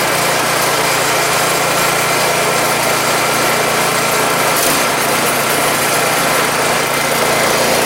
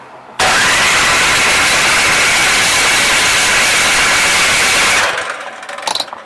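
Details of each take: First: Troy-Bilt 2410 snow blower single-cylinder engine, first start after carburetor cleaning and oil top-off, cowling left loose: steady, even buzz with no surging or misses; no-start fixed, runs normally. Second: Troy Bilt 2410 snow blower that ran last year, tried on electric start with the key and primer and no fuel shutoff valve; the starter whirs steadily for several seconds but the engine never catches. Cranking, no start.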